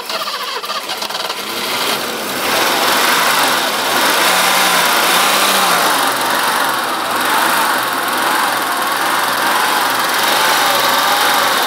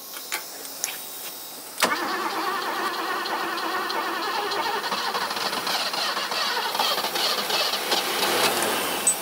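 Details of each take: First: 80s BMW 628 CSi E24 manual coupe, parked since 2001, running on its own old fuel with air cleaner refitted: starts and settles into steady, even idle with no knocks or misses; runs well. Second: 1980s BMW E24 6-Series CSi, manual, parked since 2001, fuel pressure up to 2.5 bar. Faint ticks, then a sharp catch into a rough run that won't hold. It dies as soon as the key is released from crank; cause unknown.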